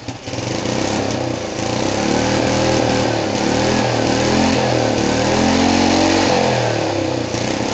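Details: Rebuilt small single-cylinder go-kart engine on its first start after the rebuild: it revs up and settles into a fairly even idle with no knocks or rattles. Normal, clean running.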